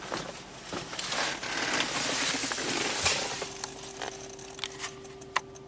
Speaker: hear that clicky clicky what the heck is that I don't see anything weird up here no warning lights but that's a little concerning that relay a relay in there is going nuts